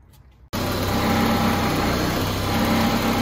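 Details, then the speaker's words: 1988 VW Cabriolet, Bosch CIS fuel injection, idling cold: uneven lumpy idle with buzzing motor-mount vibration, caused by a loose ground on the idle stabilizer valve; idle is fine once warm. "the car's idling here, and it's idling cold right now. And I want you to pay attention to one thing. So you could see the idling and how rough it is. You can hear the vibration of the motor mount."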